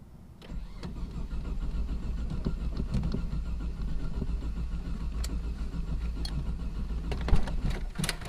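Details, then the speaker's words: Freshly rebuilt forged twin-turbo 3000GT VR4, new coils, warm start map untuned: long even cranking with no firing; spark present but engine completely flooded, probably running too rich; crank no start. "i pulled one spark plugs out i had spark i didn't record any of it it was completely floated that was the most i ever got on it it was probably run too rich"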